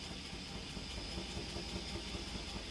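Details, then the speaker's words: 2008 Chevrolet Suburban with a cylinder 4 misfire: check engine light flashing, truck shaking hard and losing power, exhaust at the muffler sounding slow; uneven, loping low thump at idle with stumbling, dropping beats. "la luz del chip jenner y la troca está muy temblorosa tiembla mucho pierde potencia luego en el mofle se escucha muy lenta"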